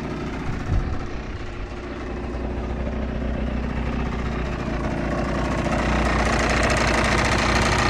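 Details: Yamaha TDR/DTR 125 two-stroke (5AE), cold: a quick, slightly uneven ring-ding burble that firms up into a clean, healthy idle with no smoke yet. Owner suspects worn exhaust valve seals, with barely perceptible loss.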